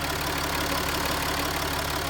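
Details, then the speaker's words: Land Rover Discovery 4 diesel at idle: steady, even, smooth low rumble with no knocks, misses or surges; the engine is ticking over healthily, with no leaks. Normal idle. "Right, so that's the engine ticking over. No dramas at all."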